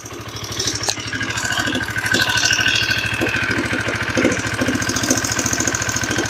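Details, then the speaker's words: Honda CBR150R DOHC, long unused, still rough after cam chain replaced elsewhere: rough idle with a loose, rapid clatter about three ticks a second; cause found to be loose, worn camshaft journals in the head, previously sanded. "keluan konsumen mesin bunyi kasar dan kasarnya itu ini enggak wajar gitu teman-teman"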